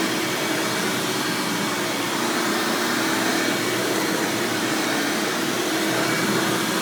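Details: 1997 Hoover Dirt Finder Power Drive self-propelled upright vacuum, model U6331-930 (Elite style): steady even rushing whir with no rattles, surges or squeal; runs exceptionally smooth and fairly quiet; normal running.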